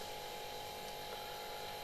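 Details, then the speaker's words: Sil Air 15 A air compressor running after an oil change, filling its tank (around 2.8 bar) before cut-out: steady, even mid-pitched hum, no knocks or rattles; running quietly and healthy. "ახლა კომპრესორს ჩავრთავ და შევამოწმებ, რომ ყველაფერი სწორად მუშაობს."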